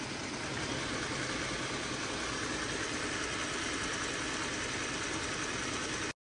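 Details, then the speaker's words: Jeep Grand Cherokee 3.6L V6 at idle, engine bay: light quick ticking rattle over engine hum from a shaking belt tensioner, also heard while driving; tensioner being removed for replacement. "so we're going to go ahead and remove that belt tensioner just because as you saw my last clip it was shaking and rattling I do hear it when I'm driving"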